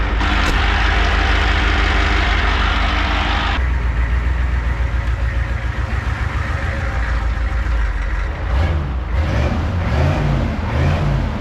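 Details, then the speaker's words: 1988 Ford wrecker tow truck with a standard transmission, long neglected: idling with a loose, uneven rattle on the engine beat, quieter with the PTO engaged; owner suspects a PTO freewheel gear bearing going bad, dry or clearance issue. "we got some good news I think that is just the the PTO gear cuz look now I put the p on it's much much quieter know it must be the the Freewheel gear in there it's airing going bad dry or clearance issues"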